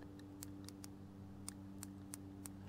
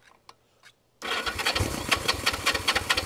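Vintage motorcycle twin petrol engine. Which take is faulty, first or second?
second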